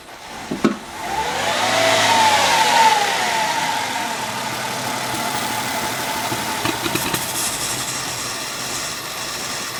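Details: Mercedes C240 rough idle that dips and surges unevenly. MAF sensor and throttle body were already cleaned, though the throttle body was not removed. The fuel pump was later found to be bad.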